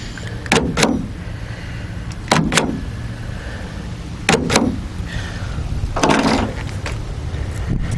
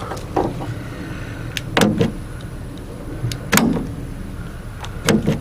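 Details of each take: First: 2016 GMC Sierra, 70,000 miles, after replacing the tailgate power lock actuator with an OEM ACDelco unit. Four crisp, firm double clunks a couple of seconds apart as it cycles lock/unlock; normal operation. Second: 2016 GMC Sierra tailgate power lock actuator, panel off; the tailgate won't stay locked. Short motor whirs and soft clicks every couple of seconds, but it never pulls the latch down; weak actuator, replacement due.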